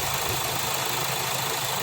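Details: Kia Sportage/Hyundai Tucson, after cleaning the loose camshaft position sensor connector: engine catches and holds a steady idle under hiss, no stumbling; starts and runs normally now.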